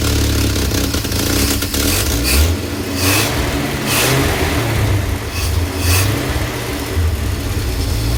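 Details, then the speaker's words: 1966 Chevy G10 van, points just cleaned, clutch in while finding gears: fast steady idle with low even throb, idling a little high. "It's idling a little high."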